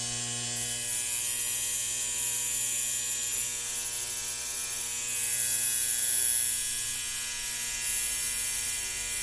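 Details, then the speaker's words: 1960 Zenith X519 clock radio during repair, alarm switch confirmed closed: harsh, high-pitched alarm buzz pulsing steadily about four times a second over a faint mains hum; alarm sounding normally. "all right so let's plug it in okay the alarm is buzzing okay"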